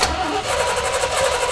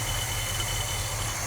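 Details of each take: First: 1973 Chevy squarebody truck, unrun 20 years, after fitting fuel pump: starter turns over about three or four beats a second and never catches; a cracked hard fuel line underneath is sucking air. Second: 1973 Chevy square body truck V8, sat 20 years, idling after spark plug wires were switched around: smooth, even low idle, steady exhaust hum, no misses, knocks or smoke; smooth as glass.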